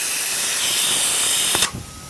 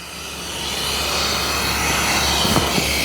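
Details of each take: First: Tsunami Pure 10 regenerative dryer with simulated missing piston O-ring: loud steady rushing hiss that stops abruptly with a thump after about 1.6 seconds; system air bypasses the piston and discharges through the muffler. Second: Tsunami Pure series regenerative desiccant air dryer, muffler removed, mic close to discharge; loud steady rushing hiss that builds then holds even; normal sweep air flow.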